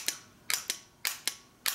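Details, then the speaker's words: Original Ford F-150 fender-mounted starter solenoid on the bench, signal wire touched with the back plate grounded: crisp paired clicks, about three engagements in two seconds; working at the moment but weak and starting to go bad. "But it's it's been weak, so to speak. It's starting to go bad."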